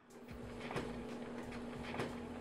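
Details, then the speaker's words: Kenmore electric dryer running with a steady hum and a low, uneven rumbling, wobbling thump with each turn: worn, failing drum rollers. "Here's the noise a dryer drum roller typically makes when it's failing."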